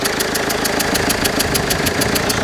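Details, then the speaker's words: Warm Mercedes Vito 2.1 CDI diesel idling with airbox removed: sharp, even chuffing about four times a second, like a blown exhaust, from a leaking rear injector copper seal; injector seal leak. "If you can hear that chuffing noise, it's one of the injector seals. It's the back one on this one, unfortunately."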